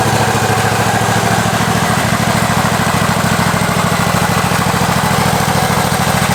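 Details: Husqvarna 54-inch deck zero-turn mower, long stored in a shed, first start on a new battery: steady, even low chug holding constant speed without misses or hunting; runs pretty good, normal running.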